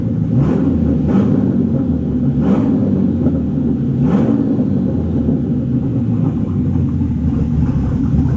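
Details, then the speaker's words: Bentley Continental GT with a newly installed replacement engine, vacuum lines possibly damaged during installation and leaking underneath onto the gearbox: petrol engine runs a little rough and uneven, with short airy bursts over the rumble. Vacuum leaks are the suspected cause, not confirmed. "If the vacuums would be sorted, that car would run smooth. But now, as the everywhere the vacuum leaks are underneath onto the gearbox, the car doesn't sound very healthy."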